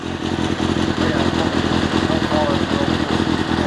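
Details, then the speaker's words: Kawasaki ZXR400 at first start after a carb rebuild (carbs stripped, jets cleaned), carbs not yet balanced, clutch still noisy: loud, lumpy, stumbling beat instead of a smooth four-cylinder hum; not firing on all four cylinders, cause unconfirmed. "yeah it doesn't sound like it's found on four ready"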